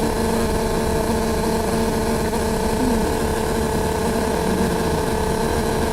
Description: Sitting on upper deck, this noise kept going on nonstop, it was so loud I developed headache.